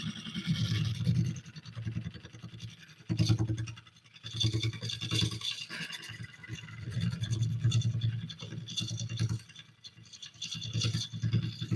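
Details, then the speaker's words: Lathe at about 650 rpm roughing an oak burl bowl with a freshly sharpened gouge: steady low hum with intermittent crisp scraping bursts as the tool bites, throwing ribbons without being pushed; clean, even cuts. "Now, I'm not pushing this. I'm just letting the tool do the work."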